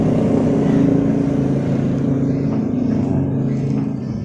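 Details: Honda Revo Absolute, noisy at the cylinder head before repair, valve clearance spec 0.10 mm: light rapid ticking over a rough idle from the top end; worn, loose rocker arms letting the valves tap.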